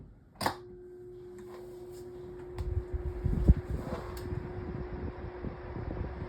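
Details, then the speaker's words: Lasko 1823 18-inch pedestal fan on low speed without oscillation, spins slowly even on high: steady mid-pitched whir like chirping crickets over soft airflow rumble; annoying motor whirring noise at low speed, cause not confirmed. "And there's that annoying whirring noise. You guys can hear it. Sounds like crickets chirping."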